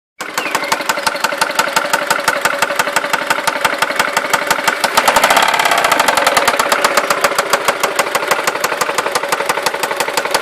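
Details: Seat Ibiza 1.4 16v BBY petrol engine idles with a sharp, steady knock about three times a second; cause unknown after oil change, replaced broken timing belt idler and new hydraulic lifters.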